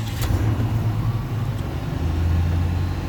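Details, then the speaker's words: 1988 XC, cold start: steady low engine drone with no knocks or misses, idle running high; oil pressure good. "oil pressure is good um as you can hear it idle's high"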